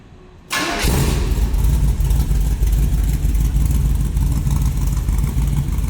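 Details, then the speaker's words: 1994 glass-body T-Bucket with small block Chevy V8, Holley Brawler 4-barrel, Edelbrock Performer intake, headers with side exhaust, TH350 automatic: catches instantly into a deep, lopey burble with no knocks or misses and nice throttle response. "It's a nice throttle response."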